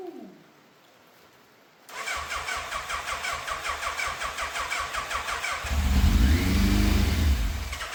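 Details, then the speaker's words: Yamaha FZ750, 41,000 miles, fire-damaged non-runner with no keys, start attempt after fitting fuel filter, airbox, carbs and tank: long steady cranking, brief rough catch that won't hold; frayed choke cable came off, not pulling fully, and carbs leaking fuel on the right. "Uh-oh, that is an absolute disaster. The choke has literally just come off in my hand. I mean, I always knew that cable was a bit frayed, and obviously it wasn't pulling properly all the way, but with that off, very much going to struggle to start this."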